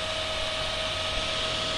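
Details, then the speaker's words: Inverter welding machine after its cooling fan was reinstalled and the wire refitted. A steady, airy fan rush with a faint tone and no flapping or rattling; the earlier flapping sound is gone. "so hollanda there's no more sound no more flapping sound so probably it's because of this"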